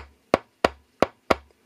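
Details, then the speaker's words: Speaker driver tested off the amplifier with a 9V battery touched across its terminals: four sharp, clean clicks about a third of a second apart with visible cone movement, no buzz or scrape; the driver is healthy. "you just push the second one against the second terminal you should hear a sound like that you'll also see the speaker moving"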